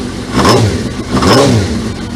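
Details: Suzuki GSXR 1000 streetfighter build, start after reconnecting the fuse box: engine catches and revs twice, rising and falling smoothly with a clean even note; running fine.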